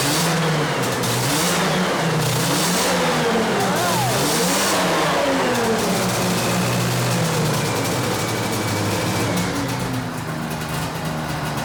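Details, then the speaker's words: 1981 Yamaha SRV 540 two-stroke snowmobile, barn find, first start after carb cleaning, new spark plugs and chain case oil: fires right up and revs freely with crisp rising and falling pitch, no misfire or bogging; running healthy. "wow run straight legit fired right up man oh man Jay that fired right up hell yeah that's sick"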